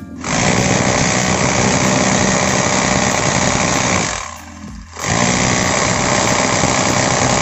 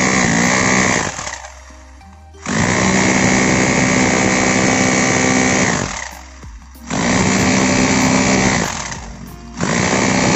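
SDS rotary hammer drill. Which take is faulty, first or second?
first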